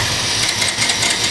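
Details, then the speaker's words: Bajaj Avenger 150 no-start: with a new original Varroc part fitted, ignition on and clutch held, starter spins strongly and steadily with an even whirr; power now comes correctly, confirming the CDI was the fault. "So చూడండి power బాగా వస్తుంది ఇప్పుడు so CD coil problem ఉంది"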